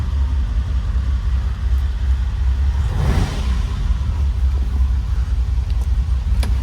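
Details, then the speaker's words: Long-unstarted Ferrari V12 restarted after new plugs and penetrating oil: catches quickly, settles into an even, low, smooth idle with one brief blip; smoke from exhaust/manifold, idle kicking down a bit; likely needs tune-up. "actually doesn't sound terrible I'm sure it's gonna need a tune-up but that thing is idling incredibly smooth for 12 cylinders"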